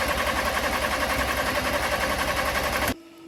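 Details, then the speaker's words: Crash-damaged Audi A4 TFSI 35 with a replacement engine, coil packs disconnected, cranking to build oil pressure: brisk even cranking of three to four beats a second without firing, then cuts off; healthy, no grounds or sensors apparently missed. "But yeah, really happy it's cranking. So to me, that sounds like I've not missed any grounds or sensors off."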